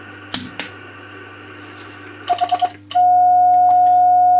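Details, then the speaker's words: Homebuilt two-valve RCA 813 MOPA CW transmitter keyed on 40 meters at about 24 watts; short keyed bursts, then a long steady note at one pitch without chirp or wobble. Clean keying. "So there's about 24 watts on there. So not bad. As I said, the keying is quite acceptable actually on 40."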